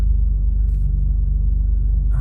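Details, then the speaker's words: 1991 BMW M5, S38 with big, high-overlap cam timing, idling with the oil still cold: a deep low rumble with a gentle uneven lope, normal for this engine. "yeah the s38 just has a lope at idle and it's very odd"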